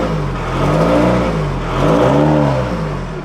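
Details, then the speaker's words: VW Golf GT TDI after turbo replacement, no boost and no engine lights, smoke from exhaust possibly old oil burning off: revving swells and falls twice with hollow droning tone, no turbo whistle, misfire-like sound; owner suspects turbo failed again or intake, cause unclear. "Oh my god, what is that sound? Oh my days, what is that sound? It's like misfiring. What in the world could that be?"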